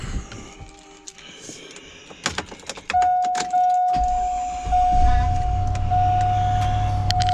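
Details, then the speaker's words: 2002 truck, first truck, starter previously replaced, owner says it always starts right up: short crank, engine catches at once and settles to steady, even idle under a door chime; healthy start. "she never fails me she starts right up every time that's why i love this truck"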